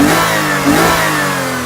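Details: 2006 Lexus IS350, 3.5L 2GR-FSE, after head gasket rebuild and a new lower radiator hose: revs cleanly up and back down, pitch rising and falling smoothly with no knocks, ticks or misses. Normal revving.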